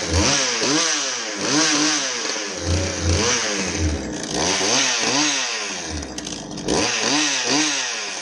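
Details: Poulan Wild Thing two-stroke chainsaw test run after oil pump replacement, now oiling fine: revs up and drops back in repeated smooth crisp blips with no misfire or bogging; normal running.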